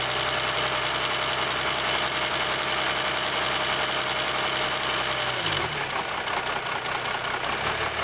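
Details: 2007 Jeep Grand Cherokee 3.0 CRD diesel, camera on the battery: fast, uneven metallic rattle over the idle clatter, continuing as revs drop. Owner suspects timing chain rattle on the drive side, unconfirmed.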